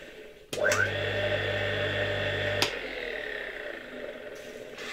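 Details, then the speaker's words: Reassembled 1958 "Croatia" single-phase motor (converted grinder), after full disassembly: a low steady hum up to speed, then a sharp click as the rotor's centrifugal switch disconnects the auxiliary winding, then a smooth, even run. Healthy motor. "Działa bardzo fajnie i tak jak mówiłem już w odcinku o tym silniku, słychać jak po pierwsze w momencie kiedy silnik nabierze już obrotów, bardzo szybko po jego uruchomieniu słychać jak ten wyłącznik odśrodkowy rozłącza tutaj obwód zasilający uzwojenie pomocnicze"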